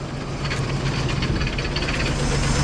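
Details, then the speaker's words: Van V8 first running after 15 years of sitting: steady idle with irregular light clatter from the alternator and AC compressor belts, not hooked up, flapping loose. "rnator and uh uh ac compressor for air conditioning and they're not even hooked up right now so they kind of like flanneling around like crazy in there so yeah that's that sound"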